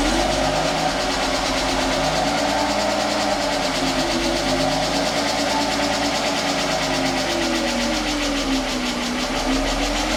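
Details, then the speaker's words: Long-stored Mercedes AMG coupe, first start since 2009 on starting fluid after a fuel-tank clean: a fast, light lifter tick over the idle, partly masked by music. The tick went away once oil ran through all the passageways. "alive. Yo, [Music] lifter is a little bit loud, [Music] but it's alive."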